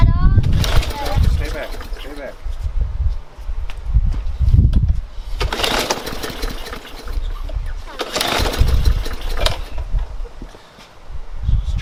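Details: Briggs & Stratton engine on a Yard Machines mower: repeated pull-cord bursts, engine turns over briefly each time but never catches; no-start blamed on stale fuel clogging the tank or carburetor after sitting too long.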